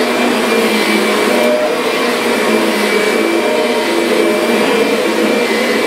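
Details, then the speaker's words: Kirby Sentria vacuum after impeller replacement, loose carpet having stalled the brush roller: steady even high-pitched motor roar, no rattle, scrape or surging, running healthy. "it's a fantastic machine though yeah this thing is doing a great job up mess I made"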